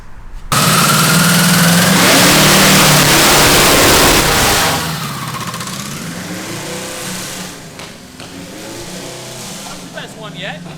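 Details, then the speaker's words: Custom 900 lb V8 of eight Tillotson 212cc engines on a go-kart, after jetting tweaks: engine roars to high revs and hangs there under load, lots of noise and no go; transmission slipping. "We have some transmission slippage. Yeah. A whole lot of noise and no go."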